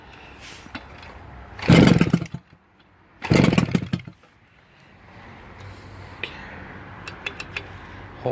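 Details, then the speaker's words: Kawasaki KV75 two-stroke with newly fitted CDI on first start, helped by starting fluid, ignition timing not yet set: two short rough, ragged bursts that die quickly, then scattered pops; rough running, timing off. "The timing is off, okay? It's going to be set, but it's off at the moment, okay? Oh, you can hear it running right there. Just started."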